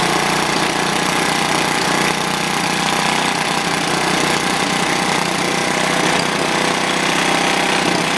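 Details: Old, worn Clinton B700-series single-cylinder engine (apparently model B704, possibly from a rototiller), choke on, runs at a fast, steady speed with an even crackle and no misses; sounds healthy, a tad smoky.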